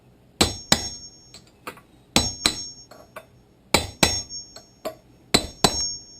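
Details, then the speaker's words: Hammer taps on a punch driving a new bearing race into a boat trailer hub during a bearing replacement. The metallic ring turns solid and crisp as the sound changes, showing the race is fully home (seated), which was then checked and confirmed. "Hear that sound change? That says it should be home. In other words, seated."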